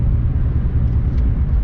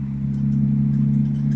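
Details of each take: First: BMW E36, sat since December, lost a cylinder after refuelling: heavy, uneven low rumble, shaking, no power, check-engine light flashed briefly; owner suspected injector or ignition, original coils; misfire from failed ignition coils and plugs. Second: BMW E36, driving after new ignition coils and NGK plugs replaced Bosch; belt tensioner still unfixed: steady low drone at even pitch, no misfire or knocking, running best it has been; normal running.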